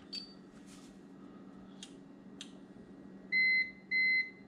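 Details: Consumer UPS battery backup unplugged from wall power; two short, evenly spaced high beeps over a quiet room as it switches to battery mode: UPS on-battery alarm.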